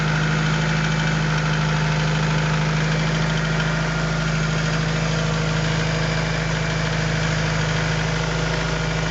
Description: B20A forged internals. Piston slap on cold start.